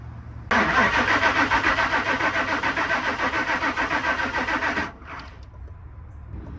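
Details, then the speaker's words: 2000 Ford Excursion crank no start: starter turns the engine steadily at about three and a half beats a second for four seconds without catching; no fuel and possibly no spark. "this one is just crank they say just crank no star you hear that"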